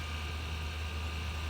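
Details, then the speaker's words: Supercharged Range Rover 4.2 V8 at first start-up: smooth low idle with a faint constant high-pitched whine from a belt-driven accessory whose source is not yet pinned down; accessory whine at idle. "so i hear some sort of whining noise"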